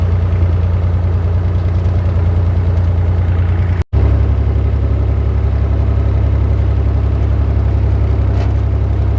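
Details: Massey Ferguson 35 Perkins diesel tractor after cheap rebuild (honed cylinders, head cleaned, new gaskets), test drive in second gear not yet fully hot: steady low drone pulling evenly, brief dip as clutch goes in, no knocks or misses; healthy.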